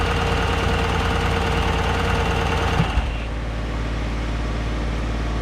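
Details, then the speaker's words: Truck engine, previously seized and rebuilt, first run with no radiator installed yet; steady low note with a faint light tick, even and smooth, runs super clean: normal running after rebuild. "hooked up to the radiator because i didn't put the radiator in yet but it runs i know somewhat what i'm doing i'm not that dumb and it actually sounded pretty good"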